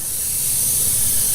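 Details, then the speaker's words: Toro Z-Master 3000 zero-turn mower tire; a long pin or nail picked up after running over something, causing a slow leak that made one side scalp the grass, has just been pulled out; constant sharp hiss of air escaping through the puncture before plugging. "hey honey I hit a little something with the thing and you hear the air probably coming out"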